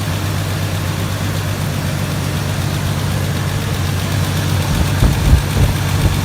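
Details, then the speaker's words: 1999 Jeep Cherokee after an engine swap, first fire with an oily cylinder: smoky but smooth, steady low idle rumble with an even beat, no misses or stumbles; normal idle, cylinder later found wet. "First fire with the oily cylinder. Smoky? Smoky. Smooth, though. Damn smooth."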